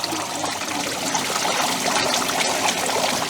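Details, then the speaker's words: Evaporative cooler that still holds water, so it starts very quickly: the solenoid opens, the pump primes, then steady trickling and splashing as water falls as a curtain over the cellulose pads on all 4 sides, with no pump rattle or gurgle, before the fan motor starts; normal flow. "there's our water delivery. So you can see it falls as a curtain, and it falls on all 4 sides."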